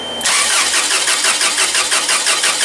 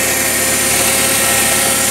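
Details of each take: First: Toyota 7FGU25 forklift with a no-start complaint, cranking: steady even cranking at about three beats a second with no catch; compression seems fine, spark and fuel still to be checked; cranks but won't start. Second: Toyota 7FGU25 forklift after no-start repair: faulty regulator solenoid that would not pull its plunger to pass gas from tank to primary was replaced with new regulator; engine now runs at a steady, even speed with constant hum and hiss, no knocks or misses; normal running.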